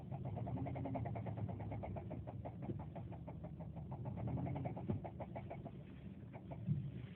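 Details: 2007 Subaru Forester XT idling: quick, even knock of about five per second that comes and goes. There are no warning lights and no smoke, and the car vibrated heavily later. Owner suspects rod knock but is unsure. Cause not confirmed.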